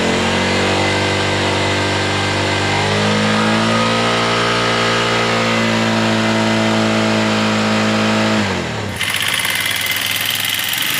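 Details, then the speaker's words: Flood-damaged Minerva MX 150 (old CBR model), fully rebuilt with a new standard Megapro piston, first start after assembly: fires up and revs cleanly with an even pitch. Noticeably smoother than before; a vertical single is never fully smooth. "jadi suaranya yang kasar dan yang halus kadang tidak terlalu beda lebih sama tapi ini sudah lumayan halus dibandingkan dengan yang kemarin"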